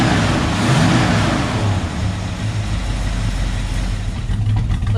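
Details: Ford XW Falcon GT V8 with a Holley carburettor, after adjusting the accelerator linkage so the throttle opens fully (it previously felt flat): revs blip up crisply and settle into a deep, even idle with no misses; healthy.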